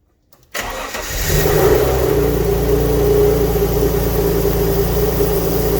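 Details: Alfa Romeo GTV first start after 18 years, donor engine, new exhaust gasket not yet fitted: engine catches and settles to a fast, slightly lumpy idle with a puffing edge; exhaust likely blowing at the unsealed joint, smoke from burning oil residue.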